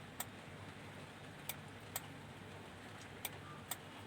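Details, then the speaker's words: Denon AVR-2113 AV receiver in protection with no sound, leaking capacitors found: sharp dry relay clicks, about five in four seconds unevenly spaced, over faint hum; 5.2 V supply rail drops at each click, SMPS regulators suspected. "जब ये relay की आवाज आती है इस पे तो यह ड्रॉप हो रहा है। होना नहीं चाहिए।"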